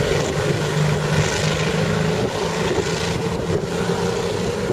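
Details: CVR(T) Striker FV102 tracked vehicle engine, August 2010: rough, uneven lumpy idle, misfiring badly from a stuck valve; later replaced with a spare engine.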